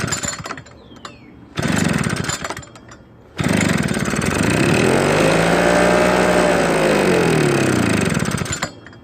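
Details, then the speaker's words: Husqvarna backpack blower stored for years with old gas in tank, primed and given starter fluid in the carburetor: two-stroke catches, revs up and down about five seconds, then dies; tank gas later found discolored with water in it. "it did run for us but the odd thing was it ran for more than a few seconds I wonder if there's something else going on"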